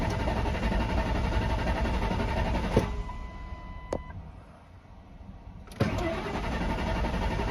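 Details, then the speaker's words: 1998 Ford Expedition that sat about a year, fitted with a new battery: the starter cranks steadily with no catch or firing, drops out, then cranks again. The tank is empty even though the gauge reads full, so it is a crank no-start from no fuel. "but it ain't got no gas in it yeah so we got some gas to put in it"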